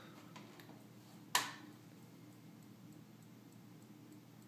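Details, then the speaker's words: HP BESTEC ATX-250-12zZ PC power supply with flashing green light, faint steady clicking/pulsing over low hum; nothing happens when power pressed, fans and drives don't spin; power supply hiccup-cycling from a failed capacitor. "now this power supply has some sort of indicator light you can see it's flashing you can hear don't if you can hear that little clicking pulsing uh nothing happens when you push power none of the fans are spinning hard drive aren't spinning nothing happens it just clicks"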